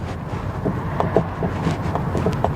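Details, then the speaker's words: 2007 Kia Rondo, recorded while driving: dull, irregular clunks from the front over bumps through road rumble, caused by a worn front stabilizer (sway) bar link, confirmed by pushing the link by hand. "You hear it? Yeah, confirm it has a clunking sound."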